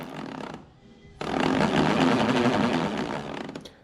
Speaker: that sound you hear is the bowl flexing in the Jam truck it's not quite in there straight but it's not actually a big deal